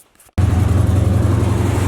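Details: Chevy "box": engine fires and idles with a heavy, rhythmic low pounding pulsing with the crank, owner suspects a rod bearing; deep thud of a bottom-end knock, cause not confirmed.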